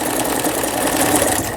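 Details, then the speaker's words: Brother Prestige 20 household sewing machine, after repairing a gearbox that skipped a step so the pattern dial made no patterns: quick, even chatter at a steady pace while sewing the three-step zigzag stitch, no knocks or grinding; sewing normally. "여기 이제 바느질 패턴 나오죠. 세발뜨기 바느질."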